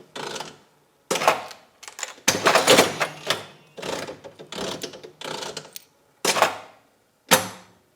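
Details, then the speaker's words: Vintage Mills Jewel Bell slot machine, sixpence play with jackpot escalator, no coins inside: several sharp clatters in short bursts as the reels stop and the payout slides trip on a win; mechanism in working order. "You can hear the payout size trip, but there's no coins in it at the moment. So, we are again working order."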